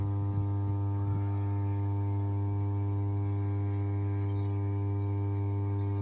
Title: Switchyard of "33/11 KV SUBSTATION" with 5MVA transformer humming sound